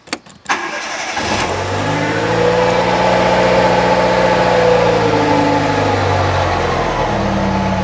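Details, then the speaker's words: 1998 Fiat Cinquecento, first start after radiator replacement: brief crank, then a steady idle with a faint high squeak on top, which the owner attributes to worn alternator bearings; squeak on cold start. "I'm expecting my alternator to squeak a bit because um I know the bearings aren't the uh best at the moment, so it'll probably squeak for a bit, but that's no problem."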